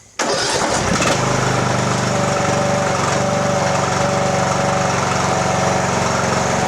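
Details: Poulan riding mower in for tune-up, oil change, valve adjustment and bent deck; after turning on fuel valve, in neutral with parking brake and choke: short crank, then the single fires right up and settles into a steady, even chug without stumbling; normal start and idle.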